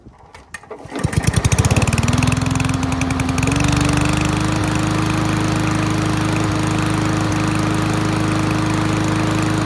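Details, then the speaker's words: Free push mower after fix: loose rattling spark plug wire caused intermittent spark, pushed back on; catches after a few pulls, climbs quickly, holds clean steady speed with no misses; normal running. "that fixed it for sure just a loose rattling spark plug wire causing intermittent spark and that solved it"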